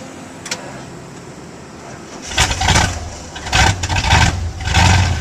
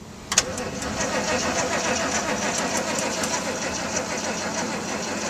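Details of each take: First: Old "Sally" with a weak battery, boosted from "old Red" after pumping the gas: quiet, then it catches after two seconds and rises in three strong rev bursts. A good start and rev. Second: Old machine known to have a weak battery, jump-started from another truck, pedal pumped and held down: starter churns steadily under a hiss but engine never catches; owner thinks battery is dead.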